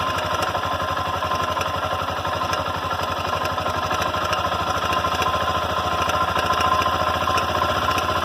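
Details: Honda NX Falcon 400i single-cylinder motorcycle: fast, even metallic hammering over a steady idle, unchanged throughout; an internal knock of unknown cause.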